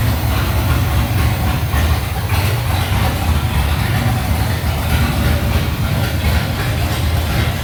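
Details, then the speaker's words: 1979 Chevy C10 with replacement roller-cam 350 small-block V8, first start after engine swap, not fully filled: heavy, loud V8 rumble at steady idle, no misses or knocks; temperature gauge read very hot, possibly miswired; normal idle. "It's not full, but we're going to I'll let it party like that for a minute. I can at least crank it up and run it for a few minutes."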